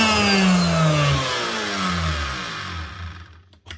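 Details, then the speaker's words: Virutex FC116U self-feeding door morticer, customer reports very noisy: router motor runs and winds down with rough, pulsing rumble under falling whine and felt vibration; worn motor bearings, later replaced. "Ooh, sounds nasty. You can feel the vibrations out of it."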